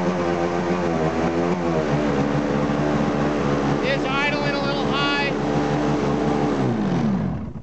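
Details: 2005 Polaris IQ Fusion 900 two-stroke snowmobile, 3726 miles, with its crankshaft clutch taper broken off and no clutch fitted: buzzes at a fast, steady idle well above normal tickover, then winds down; a crank seal leak is suspected, not confirmed.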